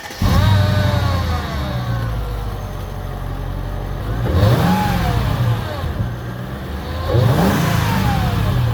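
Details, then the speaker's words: R230 Mercedes SL55 AMG starts instantly on first crank and settles to a firm idle, then two smooth revs; the earlier click-only no-start was a corroded aftermarket battery negative terminal clamp/ground, now cleaned, not the starter or battery. "And ever since I did that, it starts freaking amazing."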